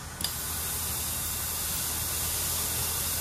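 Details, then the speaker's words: Eaton Fuller 10-speed transmission top plate on shop air, switched to low range: a click then loud continuous hiss of air escaping near the modulator, no range shift; leak past the range shift piston from rust-damaged top plate, fixed by new top plate. "you can hear the air leaking as you can tell there's no rain shift going on there's air leaking out of this thing it's going crazy"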